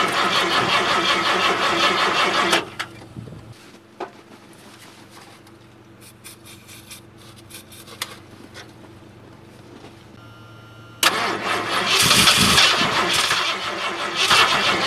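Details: 1978 Ford LTD petrol engine at about -10°F, after battery charging and a dose of starting fluid. Loud, rough cranking bursts with quiet gaps between them. Hard starting in extreme cold.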